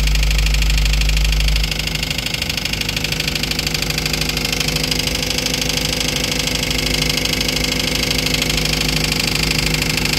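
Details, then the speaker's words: Toyota Avanza engine, towed in as noisy, at idle before repair: fast, even ticking clatter about three times a second over the idle; mechanic found the noise was the oil pump, avoiding a full overhaul. "Tinowing, inilagay muna natin ito, pinaandar natin, saka natin inobserban yung ingay niya. Naramdaman natin yung hindi ka nais-nais, di humatol tayo."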